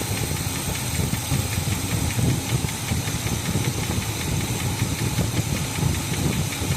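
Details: 1986 K5 Blazer at idle after exhaust welding and a newer carb, timing around 4 degrees (target 8), vacuum advance not yet connected: rough low idle with uneven muffled knocking; source of the noise unidentified.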